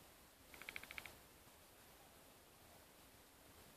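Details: Used 2012 MacBook Air making a strange hard-drive-like noise only when powered on: a quick run of about seven high, squeaky chirps, then near silence; cause unknown.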